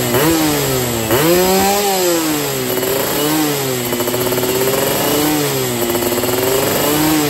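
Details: Yamaha F1ZR two-stroke roadside free-rev blips with 145 main jet and NXL racing exhaust, after holed piston from CDI ignition; raspy, dry thin crackle each rev — lean running, carb not yet set.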